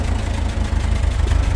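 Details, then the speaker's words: Talbot Express on its first proper test drive after engine mount and valve work; low idle with a rapid, steady puffing pulse at each firing, a small blowing exhaust leak, otherwise quiet. "so we've got a little bit of a blow on that exhaust but they do full exhaust systems the whole lot for them so i might just have to get one of them luckily i can't see any leaks at the moment sounds quite quiet other than that exhaust leak"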